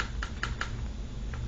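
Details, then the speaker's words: Guitar game controller after disassembly and cleaning of the button sensors: crisp, sharp clicks at a steady rate, almost knocking, over low room hum; clean contacts, buttons working properly. "that almost like a knocking sound now if you don't hear that it's probably dirty and you need to what we just showed you"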